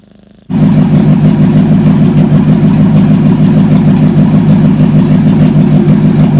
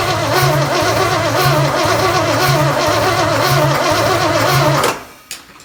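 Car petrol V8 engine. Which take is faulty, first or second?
second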